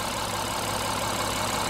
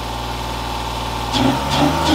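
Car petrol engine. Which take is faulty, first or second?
second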